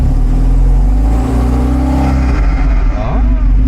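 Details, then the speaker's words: 1975 Volvo 245 wagon with 16-valve turbo swap and LH2.2 injection, air mass meter unplugged, idle about 800 rpm, more vacuum, wideband 8–10: picks up cleanly on light throttle but falls flat beyond about 15–20% throttle, like a fuel cut, though it idles. "Yeah, it almost sounds like a uh like a rev limiter or fuel cut built into a tune. If you give it more than about 15% 20% throttle, it just completely falls on its face. But unlike with the math, it's at least idling."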